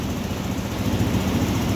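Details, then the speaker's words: Volta RM5X 160cc scooter, about 10,000 on the clock, after variator service with a Powerlink belt and 16–17 g rollers. The idle is an even, steady low putter with no squeal or knock; normal idle. "biz normal varyatörü yaptık motor gayet iyi tepki verdi sıkıntısı yok"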